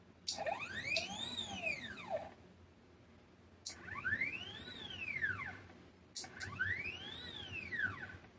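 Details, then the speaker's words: CNC1310 router, Y and Z axis stepper motors without encoder: singing stepper whine rising in pitch, holding, then falling as each move slows; normal stepper noise, compared with closed-loop encoder X axis that is nearly silent. "C'est le bruit du moteur propre aux moteurs pas à pas. Beaucoup de gens trouvent ce son bruyant."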